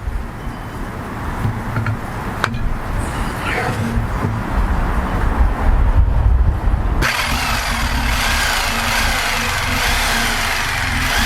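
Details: Rockwell electric saw recovered from a river, cleaned and dried, brushes checked good, trigger zip-tied on: after some clunks it settles into a steady, even high-speed buzz with no grinding or stutter; runs healthy.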